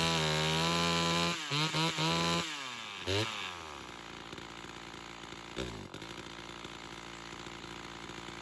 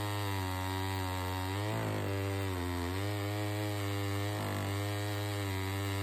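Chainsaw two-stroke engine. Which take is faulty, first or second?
first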